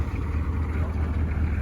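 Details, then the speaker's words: 1984 Chevrolet K10 Silverado with 6.2 diesel, 126 horsepower, overdrive 3-speed transmission and factory four-wheel drive: steady low diesel idle with an even, regular clack and no misses or knocks; running normally. "Neil, that sounds like the good old clack of a 6.2 diesel."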